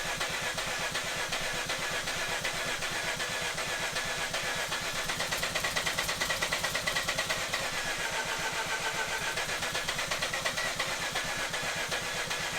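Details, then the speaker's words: Mazda RX-8 half-bridge-ported Renesis rotary, cranking on the stock ECU after the Adaptronic was removed for a no-start: steady rapid starter pulses with hissy background, no clear catch into idle. "So I put the stock ECU back in it, and we're gonna see if we can fire it up now."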